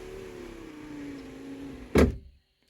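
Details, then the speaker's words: 1978 Mercury Marquis Brougham 400 parts car, rear power window: motor whirs with a slowly dropping strained tone, then a sharp clunk; window stuck down, regulator roller likely off, needs gear kit. "oo that didn't sound good great now it's down and it needs a gear kit"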